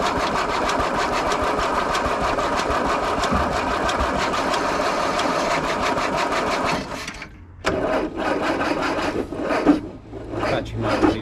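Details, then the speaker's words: Land Rover revival, weak battery: starter turns engine over steadily about seven seconds with no catch, then retries; cranks but won't start. Later fixed with new starter motor and cleaned earthing points. "I remember you saying it'll turn over instantly, so Well, at least it turns over, but it didn't start."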